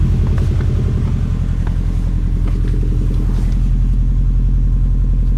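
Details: 2002 US Subaru Impreza WRX, cold engine at idle: steady even knocking about 160 per minute over a low rumble, consistent with piston slap.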